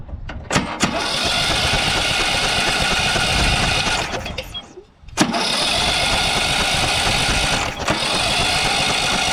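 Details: Briggs & Stratton 12 hp single-cylinder ride-on mower engine, bought for parts, kill wire disconnected: catches after cranking, dips briefly, then picks up and runs on with a steady, even drone.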